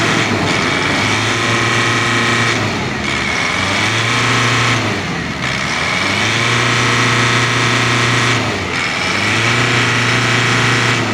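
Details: Ford Everest diesel that had fuel knock and grayish smoke, after the injectors were tested and refitted: blipped up and down repeatedly, running smoothly with no fuel knock between revs.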